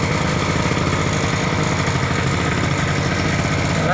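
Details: Small single-cylinder generator that ran but gave no electrical output, after its capacitor was replaced, output restored, throttle trimmed down: steady, even drone with no misses or knocks; generator running smoothly under governor.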